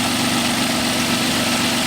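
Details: 1997 Nissan Maxima during PCV valve test and hose replacement, the valve showing strong vacuum and judged good: steady, even idle with a smooth hum and no knocks or misses before it cuts off, normal idle.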